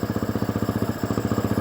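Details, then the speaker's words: Husqvarna 350 dirt bike with an electrical problem, seat and tank off, idling: an even single-cylinder thump briefly stumbles when wiring is wiggled, then recovers; a loose connection is suspected before tightening. "You hear it stumble just a second."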